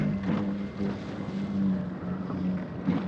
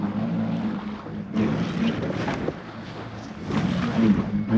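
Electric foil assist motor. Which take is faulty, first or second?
second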